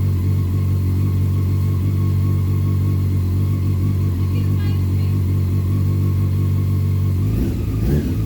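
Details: 2001 Honda CBR 600 F4i motorcycle first start after valve adjustment and reassembly; fuel pump only primed once headlight was plugged in. Steady, even engine note with low throb and throttle blips, no ticking or knocking, some smoke from exhaust; normal running.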